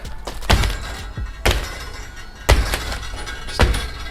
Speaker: anytime you touch it it just it rattles keeps tingling away and it's you can't see it but it's the lock mechanism which is just up under here